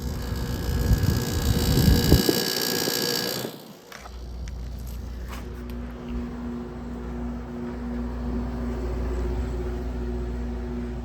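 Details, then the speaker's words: Grandmother's air conditioner with a Matsushita rotary compressor, recorded outside after its first seasonal startup following cleaning. A loud rattling burst at start, typical of the Matsushita, then a steady even hum with a low drone. Normal running. "Alright, she's running. Yeah, this thing, believe it or not, does have a Matsushita rotary, so that's pretty cool."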